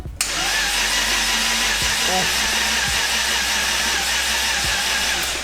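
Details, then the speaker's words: RB26 in R32 GTR build, cranking on jump pack with crank angle sensor unplugged and turbo oil feed disconnected to build oil pressure: steady starter whir with even compression rise and fall, turns over freely without firing; healthy cranking. "definitely cranks I've got the jump pack on it but hopefully we don't kill it before we get all the pressure keep cranking"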